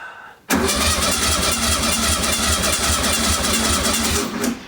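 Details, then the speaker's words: 1966-67 VW Beetle 1500 first crank after long storage, out of gear: strong, even cranking with a steady rhythmic chug for four seconds and no grinding or clicking. Normal starter cranking. "Well, the switch and the starter works, that's kind of good. God, haven't heard that starter motor in ages."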